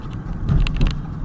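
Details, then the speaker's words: Road test after tie rod end replacement: steady low road and engine rumble while driving on rough roads, with the former front-end steering clunk gone. "So far I don't hear it clunking like I would before. Yeah, it's pretty much gone."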